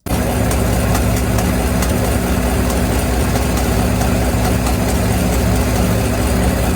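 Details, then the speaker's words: 2026 GMC Sierra (GM 6.2L V8 family): steady low idle with a faint light tapping; suspected early sign of bottom-end problems, though the dealer may call it normal; unconfirmed. "So, to me, that that's just a telltale sign this engine is going to have bottom end problems. You can hear it coming. This is how it starts."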